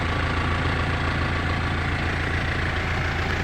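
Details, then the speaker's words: Car engine idling after the owner fixed a hard-start fault (starter/electrical suspected): steady low rumble with an even pulse, about three and a half beats a second, holding level; normal smooth idle after repair. "Hirap kasi yun mag-start up. Dito lang palang sira."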